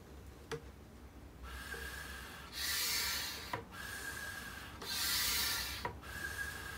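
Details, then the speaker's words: Homemade manual PVC-pipe vacuum pump pulled with something connected to the front, so no check-valve noise is heard; slow, even hissing strokes about every two and a half seconds; pump working normally. "Yes, if you pull air without attaching anything to the front, the check valve will make a loud noise... like this."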